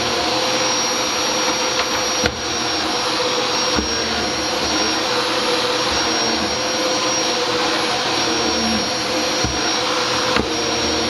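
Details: Dyson DC07 vacuum after fixing brush bar squeal caused by hair-clogged bearings, not the clutch: steady, even vacuum roar with no squeal or chirp, brush bar spinning freely; running normally.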